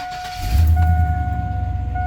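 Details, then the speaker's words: 2001 GMC 2500 8.1 V8 after new starter fitted (old one ground, bolt suspected backed out): clean quick crank, catches and settles into smooth steady idle, no grinding; normal start. "oh man super clean that's how it's supposed to sound that is that's how it's supposed to sound"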